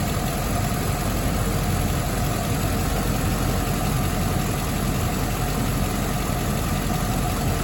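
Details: Land Rover Discovery 2 V8 after a rough idle fix: steady, even idle with a smooth low hum and no hunting or stumbling. The bad idle was caused by a vacuum leak, including a hardened, cracked O-ring, which was replaced.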